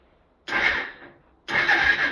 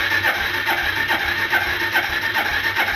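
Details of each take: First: 1995 Suzuki GN250 left outside about 15 years, battery hooked up, cylinder possibly dry: two brief even starter whirring bursts, engine turns freely without binding or clunks, not seized. Normal starter cranking. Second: 1995 Suzuki GN250 that sat outside 15 years, on choke, spark confirmed: starter spins the engine steadily and compression is felt at the exhaust, but it never fires. Suspected fuel starvation; petcock checked next.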